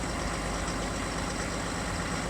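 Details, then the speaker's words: 2020 Chevrolet Silverado 3.0 Duramax diesel, cold start at 16 to 20°F: steady, slightly raised idle with light, even diesel clatter and no misses as high idle kicks in to warm up; normal cold-start high idle. "You can hear a little bit more of the diesel noise, clatter. And in a couple seconds here, you should actually hear the high idle kick in."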